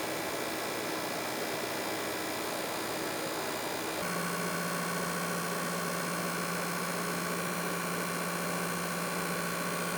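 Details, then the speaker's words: PS5 cooling fan under game load gives a steady airy whoosh with a faint buzzing whine that rises as the fan speeds up. This is normal; of the three fan variants, the Nidec tends to be loudest. "so now you know what exactly your ps5 should really sound like if you notice that your ps5 seems particularly loud it could be that it was assembled with the nidec model cooling fan as this one tends to be the loudest"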